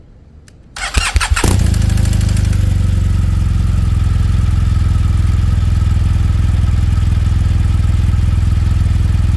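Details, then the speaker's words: 2017 BMW R1200GS boxer cold start, recorded at the right front cylinder: starter whirr, then a steady idle with a light, fast clatter fading within seconds; owner suspects the cam decompression mechanism. "Okay, you can see that the noise goes away almost immediately within a couple of seconds, so could very well be the decompression mechanism, but let's hear from the experts."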